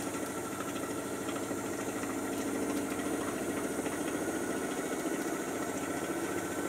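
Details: Miele Softtronic W487WPS 1800rpm washing machine, owned nearly 3 years, spinning: even whirring hum with a soft steady drum rumble, no bangs or grinding; normal spin.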